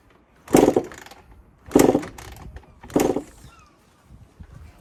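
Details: 1996 Honda CR80 two-stroke project, sat in a shed for ages, fresh 30:1 fuel, carb float was sticking, spark possibly intermittent: three kicks about a second apart turn it over but it never fires; no start.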